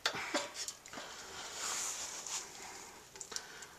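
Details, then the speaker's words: Aladdin Blue Flame kerosene heater with new wick, about 20 hours used, just lit: light, irregular crackles and pops as the burner starts, no steady hiss or roar; normal startup. "you hear it kind of crackling and stuff when it starts up there but that's about what it looks like"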